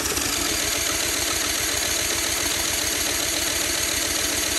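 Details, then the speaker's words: Honda CT70K1 spun over with a drill after getting spark and priming with fuel: steady fast chuffing with even compression pulses but it never catches; cranks without starting, possibly flooded spark plugs. "might have flooded the spark plugs there's too much fuel"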